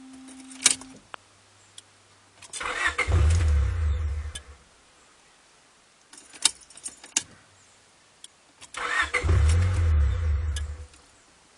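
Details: Honda Prelude 5th generation 2.0 that sometimes fails to start: two separate bursts of steady cranking, about two seconds each at roughly four beats a second, then silence; engine never catches, cause unknown.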